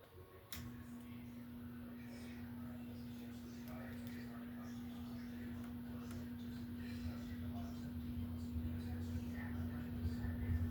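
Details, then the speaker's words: Startup of a 52" Home Decorators Tahiti Breeze ceiling fan, filmed up close: a soft, steady mid-pitched motor tone holds level as the blades gather speed. Quiet, even, normal motor running, though the owner notes a slight hum and a little wobble on medium and high. "You guys can just kind of see the blade spin up as you do the startup noise, and listen for the motor sound. So you can kind of judge it from there."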